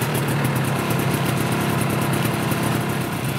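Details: Yamaha Bravo 250 snowmobile two-stroke, after cleaning Keihin carburetor that had caused bogging once warm: quick even popping at steady idle, no stumbling or dying; normal idle.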